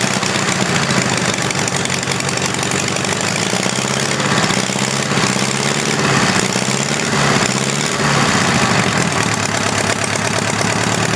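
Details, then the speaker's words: Homemade four-cylinder Briggs engine after tune-up with new points, belt looking loose: loud, uneven chugging at constant speed as if not firing on every cylinder; rough running, possible misfire suspected, not confirmed. "like he's only running off poor cylinders bad buddy"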